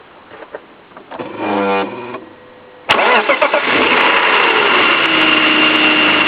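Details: Engine cranks, catches and idles with a light, sharp tick every second or so, possibly from the timing side or VANOS, after the tensioner was changed; source unclear.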